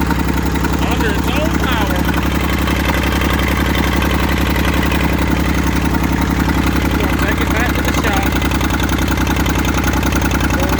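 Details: Massey Ferguson 35 three-cylinder diesel, seized 20+ years in the woods, tow-started in third gear high after the starter failed; it fired after about 300 yards of building compression and heat. Even clatter at about four firing pulses a second, no misses or knocks: normal running.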